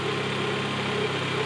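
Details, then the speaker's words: 1995 Honda Prelude Special Edition with new NGK wires and a new distributor cap: a steady, even idle hum with a smooth low rumble and no ticking or knocking. A clean, healthy normal idle. "here how she purrs very nicely no ticking it's really a super clean running engine"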